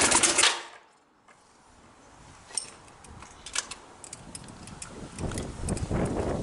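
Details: Yamaha Virago XV 535 with replacement carbs, hard starting, low fuel flow; uneven running with irregular sharp pops, missing and backfiring; owner suspects a breaking-down coil, a plastic part found melted and twisted, alternator voltage still to check.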